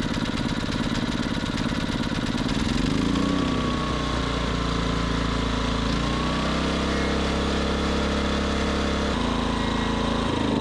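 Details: Westinghouse iGen 2500 generator after repair, choke checked: catches and settles into an even steady drone with only mild speed swings; running smoothly now.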